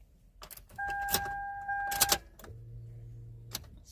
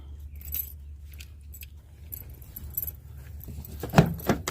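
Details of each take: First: 2005 Toyota Sienna, starter replaced two months earlier: key-on chime and faint dash hum, fuel pump primes and battery seems good, but no click or cranking even after tapping the starter; dead starter motor. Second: 2005 Toyota Sienna with a no-start; the starter was replaced two months earlier. Keys rattle, then the engine catches quickly and settles into a steady idle, so it now starts cleanly.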